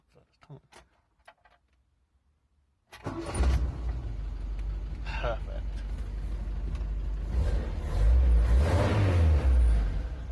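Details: Mk3 Ford Cortina Estate with rebuilt carburettor, warm: restarts straight away after a short crank and settles into a steady, even idle with no misses or stumbles.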